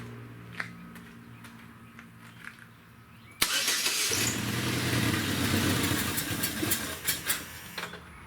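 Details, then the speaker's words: 2010 Chevrolet Equinox 2.4 L four-cylinder Ecotec, code P0300, coil and plug already replaced by owner, warm, cylinder three unplugged with no change: engine runs rough with uneven, stumbling beats; misfire, cause not confirmed. "cars running pretty rough number three no change"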